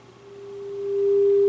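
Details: 1930s Philco 112-B radio after restoration, alignment with signal generator at 400 Hz modulation near 600 kc: pure steady loud test tone, no hum or crackle, set peaked and receiving well.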